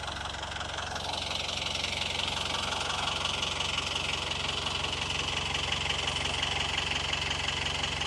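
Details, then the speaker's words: Boat diesel engine, unrun for a while with oil poured on the valves before starting, idling cold at the dock to warm up before taking load: even, steady clatter at about three beats a second with no misses. Normal idle. "It's not really good to run a diesel engine without a load on it. So I'm just letting it kind of warm up a little bit first."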